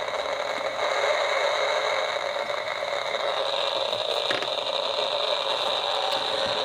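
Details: Homebuilt AM superheterodyne receiver tuned near 1390 with antenna on clip leads, not wired in: steady hiss with faint whistling tones, no voice or music; no station received, source of static unknown.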